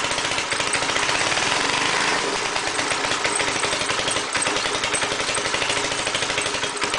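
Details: Gas engine air compressor, after cleaning the head and valve seats and changing oil, run with choke: harsh engine whose speed keeps hunting and wavering; owner suspects carburetor or governor problems; erratic running.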